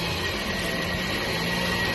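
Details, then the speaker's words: Toyota Vios with engine running: steady high whine over the engine whir from a faulty alternator, which was then dismantled for inspection and repair. "อาการเบื้องต้นตรวจสอบแล้วมีเสียงหอนที่ไดชาร์จ"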